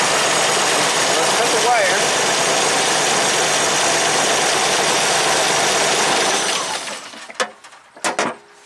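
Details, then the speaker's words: 1985 Jeep CJ-7 Renegade with Holley Sniper EFI: idle continues with the key off, then dies abruptly about seven seconds in when the alternator wire is cut. Alternator back-feed run-on; the fix is a diode so current flows only to the alternator. "TDA that's the issue now I'm going to strip it back and clamp a Dio to there to make sure the current's only going from the Jeep to the alternator not backwards"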